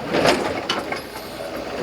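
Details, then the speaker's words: Brunswick GSX pinsetter sweep wagon after oiling pivot points, running the sweep: dry mechanical clicks and clunks, no pivot squeal; squeak was just a dry pivot point, lubricated linkage now runs quietly. "no more squeaky so it was just a pivot point huh good to know you guys"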